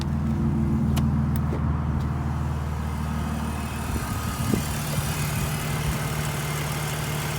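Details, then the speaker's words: BMW E46 330i cold start after sitting a couple of hours, failed inspection with no codes or check-engine light: even cold idle with a constant low whirring hum; the secondary air pump is running as it should. "so the diverter valve is or that air pump is running I can hear it and it only does it when it sits cold"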